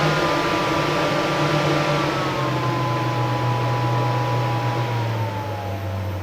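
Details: Off-grid cabin whole-house DC fan on a newly installed PWM speed controller: steady smooth hum sliding lower as speed is reduced, even airflow hiss, no rattle or rub; fan running normally and quietly.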